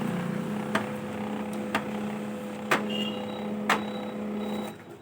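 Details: HP LaserJet M1005 printer while printing, paper slipping: steady motor hum with a sharp clack about once a second; half-cut fuser drive gear worn on one side, not driving the fuser properly.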